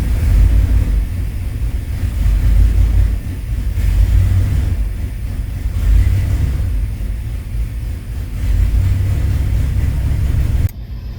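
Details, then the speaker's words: 1995 Chevy 1500 V8, long-sitting, after noise fixed, low oil pressure, gas smell, holed exhaust: deep, uneven idle with a lumpy, wandering beat and loose rumble; rough idle. "definitely not the smoothest engine. I mean, it does sound pretty decent."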